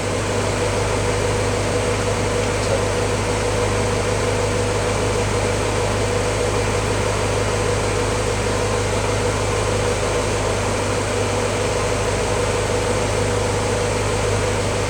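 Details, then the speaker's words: 1953 Willys CJ3A L-head flathead, after cold start now warmer (head and pistons warm), thermostat settling near 175–180°: steady even low drone, no knocks or misses; smoother normal warm idle. "you can hear the engine's a little bit smoother now that it's got some a little bit warmer the head's warm Pistons are warm now"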